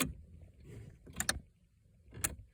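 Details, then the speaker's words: Pontiac G6, no crank no start: three sharp clicks with key on/cranking, coming from the body control module (BCM), not the starter, battery or alternator; doors lock and unlock on their own, indicating a faulty BCM. "And, when I crank it, I noticed that it's a clicking noise coming from there, you"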